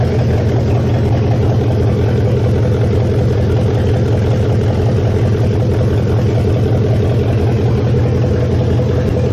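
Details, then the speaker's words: 1969 Mustang V8 after sitting, electric choke not yet hooked up, oil burning off the top of the motor: started easily, deep steady idle with even firing, no smoke, plenty of compression, a runner. "can tell has plenty of compression holy crap I think she's uh I think she's a runner it actually started out pretty easy for sitting for"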